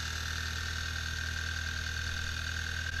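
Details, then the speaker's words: 2011 Audi A3 petrol engine idling evenly after start-up on a used-car check, steady low hum with no ticking or knocking; engine judged all good. "try and listen for any weird ticking sound of the ruffle or knocking them in this case all good"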